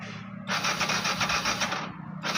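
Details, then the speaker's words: Yamaha FZ version 2 fuel-injected bike with hard starting and stalling while riding: starter churns in two rapid pulsing bursts but the engine never fires. Crank-no-start; the fuel pump makes no running sound at key-on, so the fuel pump is suspected. "செல்ஃப்லாம் அடிக்குது, ஆனால் வண்டி வந்து start ஆகலை."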